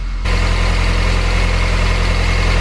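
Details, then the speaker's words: Mini R53 Cooper S, first start after a home engine rebuild (coil pack unplugged for initial cranks): rattly at first, believed just the timing chain flopping before tension came up, then settles into a steady, smooth low idle with no rattle; engine management light on, cause unknown; normal idle. "sounded rattly at first but i think that was just a chain flopping the tension is gone we're idling"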